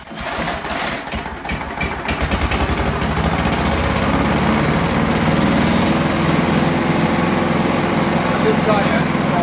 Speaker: so I hopefully you could say that but basically it doesn't sound like the revs are changing at all from the minimum setting all the way up to the maximum setting